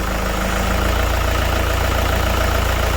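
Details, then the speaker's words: Car idling after the AC is refilled with refrigerant to 80 on the gauge and the AC is switched on. The compressor clicks in and the pressure falls. A steady, even idle with a slight added load hum: normal idle with the AC compressor engaged. "Now you will hear this compressor click, and then we will see the pressure fall."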